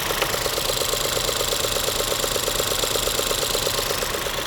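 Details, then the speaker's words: 2016 Ford 1.6L EcoBoost GDI, new injectors and high-pressure pump 3 months ago: lumpy idle with a regular tick near three per second; single-cylinder misfire, suspected coil boot never contacting the plug. "so if we only have a single cylinder misfire now then we're going to lean in that direction"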